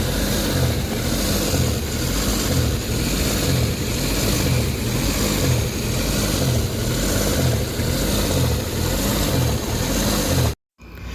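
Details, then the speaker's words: Suzuki DA17 warm idle after a few minutes running: RPM keeps swelling and sagging about once a second, unevenly, a hunting idle. No fault code was stored, and the cause is not yet confirmed. "so nakita niyo yung sistema ng engine talagang taas baba yung RPM So ibig sabihin may problema yung makina"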